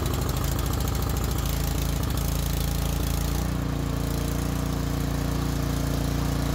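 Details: Cub Cadet snow thrower, test run after checking fuel, three primer pumps and setting the throttle: small single-cylinder engine catches and settles into a steady, even chug, picking up slightly at set throttle; normal running.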